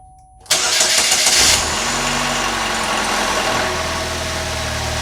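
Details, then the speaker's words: 2012 Chevrolet Malibu, replacement 2.4L Ecotec engine first start, no coolant yet: starter whirs, catches within a second, settles into smooth even idle with no misses or knocks; runs healthy. "Wow, that sounds great."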